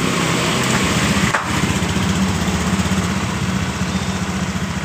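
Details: Honda Scoopy ESP (2019–2020) scooter started after roller and CVT case cover refit: steady single-cylinder putter at an even idle, no knocking or slipping noises; runs smoothly, normal idle.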